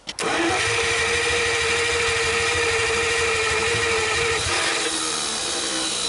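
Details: 1949 Buick straight-8, first start in years, with distributor cap and rotor from a 1950 parts car and gas fed to the carburetor, accelerator pump working; steady starter whir with an even chug, cranks but won't start.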